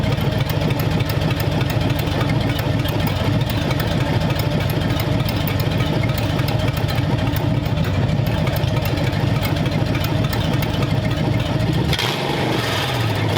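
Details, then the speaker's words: Freshly built flathead V8 for a 1932 roadster, warm after about 20 minutes of running, with 70 lb oil pressure and 170–177° temperatures: smooth, steady low rumble with no knocks, ticks or misses; a normal idle. "yeah I think this engine is is pretty close yep all right so it runs beautifully"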